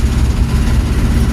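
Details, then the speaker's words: Chevy C10 small-block V8 at idle, dust cover off, oil pressure holding: deep uneven thumping knock under the exhaust rumble, owner suspects a bearing knock; noise stops under load in drive. "got good old pressure holding it 210 just got a little bearing knock that's okay let me fix that needs a little work"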